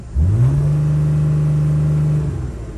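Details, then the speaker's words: 2008 Dodge Sprinter diesel van with DPF delete, codes P0428 and P242F, shaky start, suspected fuel starvation or clogged fuel filter: engine revs quickly then sits flat at 3000 rpm and won't climb; held in limp mode. "let's see if actually we could accelerate beyond 3000 rpms we cannot"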